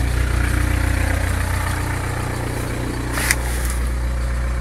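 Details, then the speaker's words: VW Caddy diesel at 189 km, cold started after sitting for half a year: after glow plug preheat it fired right up and holds a steady, even idle clatter with a firm low rumble, no knocks and no smoke. "Wow no way no way so this four-eyes half a load of months he just fired right up good well now that serious surprise no no smoke"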